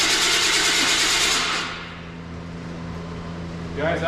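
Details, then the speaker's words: OBS Chevrolet Silverado that had sat for a long time and ran before: the starter spins the engine with a rough whirr but it never catches; fuel is smelled; owner suspects the ignition module on the coil pack, spark not yet tested. "it's getting fuel I can definitely smell it after cranking it a couple times um it's got to be that module on that coil pack"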